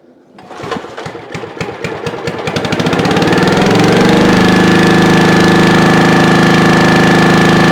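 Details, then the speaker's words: 1996 Brave log splitter engine, about 30 years old and thought seized, primed with a shot of premix into the cylinder after carbon burn-off: slow pulls, then it fires and settles into a steady, even, clean run; normal. "but uh that's good it runs I guess I don't have to worry about that"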